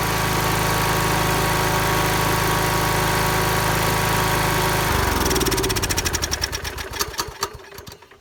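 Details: Husqvarna YT 21 HP lawn tractor engine, started with a charger on a dead battery, hums smoothly and evenly at steady speed, then shuts off and coasts down through slowing thumps; normal running.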